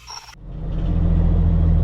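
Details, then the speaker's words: Mack truck test drive after new clutch and transmission parts, carrier bearing re-squared and tightened to cure a metal-on-metal noise: deep smooth drone pulling away, only a fender rattle; driveline noise appears gone. "we got a fender rattle back there but i think our noise is falling i ain't hearing it yet that's a good thing"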